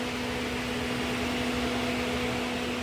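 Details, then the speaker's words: 2019 Chevy Camaro 3.6 with P0128 and a temperature gauge that never moves: cooling fans came on automatically and keep roaring steadily after the engine is switched off; thermostat and engine coolant temperature sensor to be replaced. "And I turned the car off. And you can hear those fans. The fan is still running."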